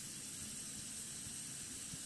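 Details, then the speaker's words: Coleman 508A single-burner stove after check valve repair with removal tool and earlier generator cleaning, warming up: steady, even hissing roar, no sputter or surging; pressure no longer leaking, normal burner roar. "So it's just warming up the generator. But I can feel that the pressure is not leaking. That's why you see a beautiful flame right away."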